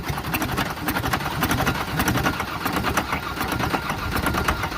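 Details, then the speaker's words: 1994 Ford Ranger 3.0 L V6, no transmission, being run to destruction with nitrous and water in the intake manifold, seizing and tightening up: heavy sharp knocking in time with the crank over a ragged idle, rod knock. "oh it's starting to get really really knocky now it's not done"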